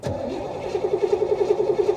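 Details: Flood-rescued 1985 Chevrolet Corvette C4, primed with fuel rail audible and battery getting low: starter churns about ten even beats a second, engine never catches. Long crank, hard start.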